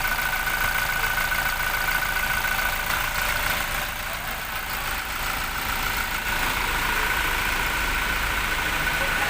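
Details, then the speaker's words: 2017 Toyota Fortuner diesel after alternator bearing replacement: steady even idle with no whirring or grinding from the front of the engine; alternator quiet and healthy. "oh Wala ng tunog oh pinalitan lang yung mga bearing Okay na siya"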